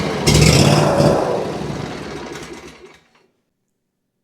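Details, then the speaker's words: Ferris IS3000Z mower, 27 HP Briggs & Stratton V-twin with low power: uneven, lumpy, surging running that sags and quits within seconds; slight choke doesn't help; suspected fuel/air mixture issue. "As you can tell, it's running extremely poorly. I tried just pulling up on the choke, choking it just a tiny bit to see if I could get it running better, and I can't."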